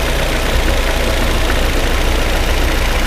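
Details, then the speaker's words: Petrol engine on a demo car idling roughly with an uneven, stumbling beat when one ignition coil's trigger signal is pulled down during a test-light control test: ignition misfire. "hear a misfire, do you guys hear it?"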